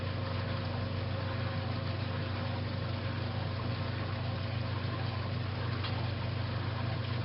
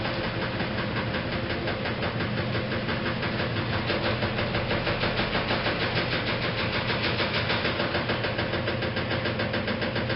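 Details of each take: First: 1956 Whirlpool Imperial belt-drive washer, restored, coming up to final spin after neutral drain: smooth steady low hum with no knocking, thumping or scraping; spinning normally. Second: 1956 Whirlpool Imperial automatic washer, restored, in spin: steady hum with a quick even knock about three times a second from the rear motor access plate that was never refitted properly. It does not affect operation.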